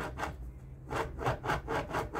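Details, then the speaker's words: Washing machine noisy on spin, partly disassembled; drum rocked by hand gives gritty, rasping grind in quick rhythmic bursts (apart from neighbour's banging) from the worn lower drum bearing; upper bearing fine; bearing to be replaced. "aí galera primeira coisa que a gente viu ó além das batidas que o vizinho tá batendo ali o resto é o rolamento tá isso aqui quer dizer que esse rolamento tá ruim"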